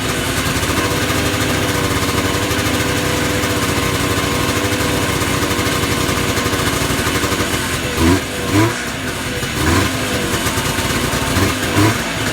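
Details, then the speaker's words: Yamaha Enticer 300 two-stroke snowmobile, unknown year, 120 psi per side, first run after sitting once fuel began pumping. Busy steady idle with a couple of short blips near the end, smoking out the shop. Smoky first run after sitting. "Well, you got a runner. Uh-oh. Titan, we're smoking the shop out."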